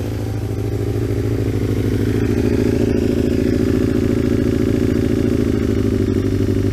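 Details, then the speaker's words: Aprilia RSV Mille 1000, cold start on full choke: loud, hard, slightly uneven thumping at a high choke idle with a harsh bark. The exhaust is far too loud. "but you can obviously hear how loud that is it's just too loud is"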